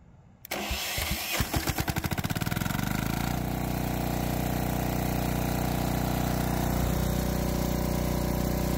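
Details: Lombardini 15LD400 diesel generator, a barn find, on its electric starter with a reconditioned lawn-and-garden battery (13.7 V): brief crank of about 1.5 seconds, then it catches cleanly and settles into a steady, even idle with no misses; healthy start.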